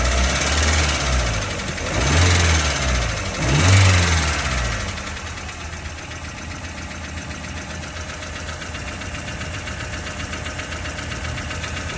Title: 1994 Tercel clicking sound normal??